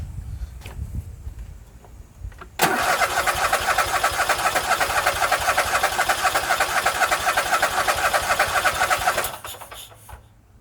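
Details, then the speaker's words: Husqvarna YTH24K48 lawn tractor cranks steadily about four turns a second for several seconds without firing; no-start suspected fuel delivery problem. "today uh we are in the shop looking at a no start situation and by that i mean it cranks and cranks but it doesn't fire"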